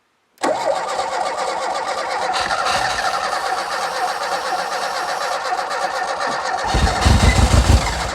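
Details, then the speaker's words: Renault 5 GT Turbo barn find, unmoved since 2001: long even cranking with a brief heavier stutter near the end as it nearly fires but never runs; spark present, suspected lack of fuel. Cranks but will not start. "oh my word that nearly fired that nearly five that is just lack of fuel I think because yeah we've obviously got spark"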